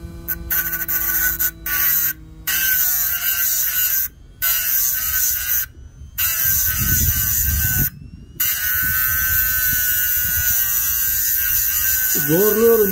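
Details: Hard-disk (HDD) motor driving a 6 cm diamond disc, dry-cutting a hardness-7 stone at the corner while pressed hard: steady high whine with short drops, pitch holding up; the light motor copes fine under heavy load.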